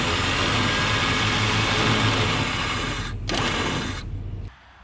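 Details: Warn VR EVO 8000 winch on a Big Tex 70CH car hauler, powered from the running truck via quick disconnect without an extra battery: even electric motor whine, steady, then stops cleanly; normal winch motor run.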